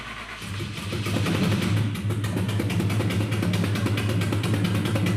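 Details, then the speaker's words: Ford Galaxie wagon V8 hot rod build, first start with the fuel pump running and ignition wires twisted together: an uneven, lumpy idle described as growling, not howling. It sounds like half the cylinders aren't hitting; cause not confirmed. "sounds like half them cylinders aren't hitting. >> You know, it's uh it's growling. It's not howling, but it is growling."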